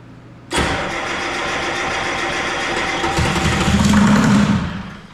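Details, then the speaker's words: Detroit 3-53 two-stroke diesel, first start attempt after 25 years; rebuilt in 2000 with the camshaft installed reversed front to back. Catches on a shot of ether, runs ragged about four seconds, then fades and dies, burning only the ether. "It just wouldn't run. I give it a sniff of ether and it would fire up and quit. It would just burn the ether and stop."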